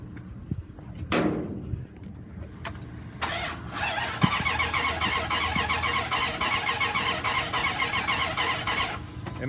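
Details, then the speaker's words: 2002 Dodge Ram 3500 utility truck, 5.9 L V8 gas, 113,832 miles, on a jump box and sprayed with starting fluid: cranks evenly at three to four beats a second and never fires; no spark is suspected. "makes no effort to start like there's no spark at all."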